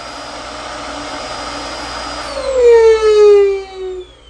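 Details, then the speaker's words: Dyson DC24 vacuum, brought in for poor pickup: steady suction roar turns into a loud high-pitched sigh slowly sinking in pitch; restricted airflow, usually fixed by replacing the filter inside the ball. "and it makes that kind of sighing noise 9 out of 10 times the simple fix is replacing the filter in the ball"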